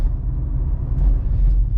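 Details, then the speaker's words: BMW 123d (N47 diesel, 204 hp) rear differential after replacing failed differential bearings: road test with only a low, steady road rumble and no whine or growl rising with speed; the rear diff now runs quiet. "Allez, on va essayer cette voiture. Plus de bruit. Ah, il n'y a plus un seul bruit, plus rien. Encore une de sauvée."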